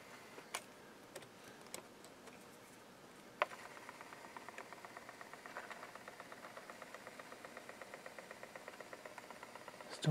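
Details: 1987 Realistic LAB-2200 linear tracking turntable after repairs: faint, quick, even ticking starts a few seconds in at about four or five per second; the tonearm drive mechanism is still noisy, and an expected switch click is missing.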